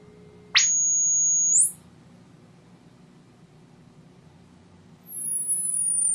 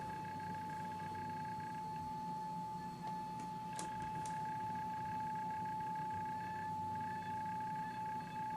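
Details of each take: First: Electro-Voice T35-type horn tweeter (Klipsch K-77) after diaphragm replacement, fed through a capacitor to block lows and DC; pure tone steps up cleanly then glides down, no buzz, rattle or distortion: normal tweeter tone. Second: Electro-Voice T-35 / Klipsch K-77 horn tweeter after diaphragm replacement, fed a steady ~800 Hz test tone through a capacitor. Faint buzzy edges come and go as the diaphragm is moved; it is misaligned and rubbing inside.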